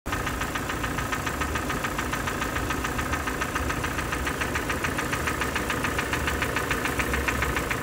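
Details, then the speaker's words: 2014 Kia Optima, 2.0 L G4ND engine, mileage 175 (thousand), oil changed only every 15,000, with signs of past gas (LPG) use in the intake: a steady, regular knock at idle, about two to three per second, from worn bearings and scored cylinders. "работе и Optima 14 год пробег 175 стук двигателя также есть узор масла интервал замены масла производился каждый 15000 что не рекомендуется для данного двигателя"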